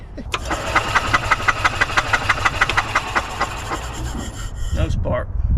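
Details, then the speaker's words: 2003 Club Car DS golf cart, previously seized engine after sitting about 3 years, starter belt now tightened: engine cranks at a steady three chugs a second with sharp ticking but never catches; no spark. "so what does that mean that means we ain't got no spark"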